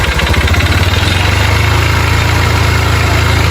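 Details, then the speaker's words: Motorcycle brought in for engine noise, also smoking and throwing oil: rapid hollow knocking on every firing stroke at idle, loud and persistent; mechanic suspected the rod and hopes it is only the cylinder kit; piston slap. "Porque, ó, quando a moto tá batendo, saia. Mas tem que tá batendo saia muito mesmo."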